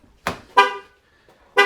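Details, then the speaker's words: 2018–2024 Chevy Equinox unlocked with the emergency key because of a dead key fob battery. Three short, uneven horn chirps sound as a pre-alarm warning before the fob is placed in the cup holder to start the car. "you can hear the vehicle beeping at me there."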